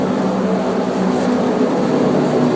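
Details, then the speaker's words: Hackett Mills turbine on its first spin after a rebuild, December 2013, not online and turning slowly at a little under 20% speed with oil pressure up. A steady rushing drone with a low hum and no knocks or grinding; smooth at low speed. "this isn't online this is just slowly spinning around about a little less than 20% so pit Mills spinning in the circle first time December 2013"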